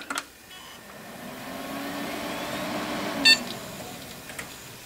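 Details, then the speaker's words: 2008 Dell Inspiron 530 Core 2 Duo PC after replacing the worn-bearing CPU fan with a new Coolink SWiF2-80P. A short power-on beep, then only a faint steady whir, mostly the case fan: normal quiet CPU fan. "wow that is well quiet I'm pretty impressed with that actually the only the only wearing you can hear now is the case fan"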